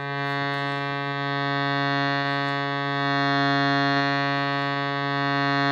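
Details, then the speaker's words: Shruti box after repeat filing of buzzing reeds, final test: steady even drone with clear sustained pitch and no rattle or buzz; reed fixed, box working. "the happiest little route i've ever heard [Music] and simple as that [Music] we've got a working surety box"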